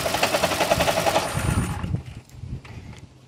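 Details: 2012 Toyota Prius 2ZR-XFE during oil pressure test: sharp, rapid internal knocking at three to four per second before the engine shuts off. Pressure reading reaches 60 and then drops slightly. Knock cause unknown.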